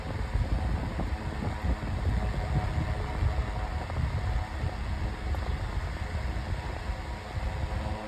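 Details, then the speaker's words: 9-inch Airtek high-velocity fan on medium speed, getting a little loud but normal for this fan: steady even low rush of air, no ticking or rubbing; normal fan running. "It's getting a little loud. That's neutral for a fan like this."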